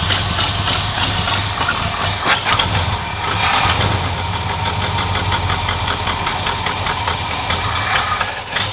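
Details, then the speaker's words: Ford F150 engine start-up: rough, uneven, stumbling lumpy beat like a dead cylinder; misfire because a spark plug wire was left off. "hey hold on hold on hold on kill it you got a spark plug wire missing"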